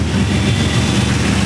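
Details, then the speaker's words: LS3-style V8 swapped into an E46 BMW, first start-up after wiring: short burst of deep, steady, fairly quiet idle, even with no tapping or misses; healthy idle, loud only when revved. "i like how it's not super loud it's really quite an idol but the second he does that it's ridiculous it's it's like really airy and quiet and like chill and a little bit that's ridiculous"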